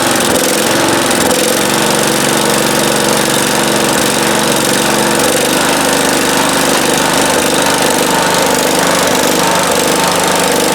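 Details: 1971 John Deere 140H3 with Kohler K321 single-cylinder, after a carburetor rebuild with new float and jets opened slightly: steady, even beat with no misses or surging. Runs well at low idle and higher throttle.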